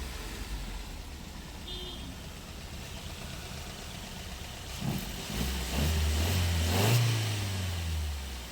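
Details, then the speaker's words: Maruti Suzuki Ertiga petrol engine with aftermarket CNG, after repair of severe misfire (two cylinders dead, no pickup): quiet even idle, brief smooth rev with no stumble or miss; now running on all cylinders, normal idle. "जैसा कि दोस्तों आपने देखा पहले तो आइड ंग में भी बहुत मिसिंग कर रहा था पिकअप तो बिल्कुल नहीं था लेकिन अभी आप देख रहे हैं कंप्लीट चल रहा है"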